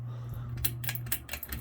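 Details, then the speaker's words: Budweiser 42-inch brushed steel ceiling fan (2001), medium speed: steady low motor hum with irregular light ticking rattle; a screw not threaded properly leaves the fiber vibration-dampener washer atop the blades loose, fluttering in the wind (suspected). "I believe that's that rattling noise you're hearing because the plastic or the the fiber vibration dampener washer that these screws have on top of the blades is a little loose and it's probably flooding or fluttering around in the Wind I believe that's the noise you're hearing there"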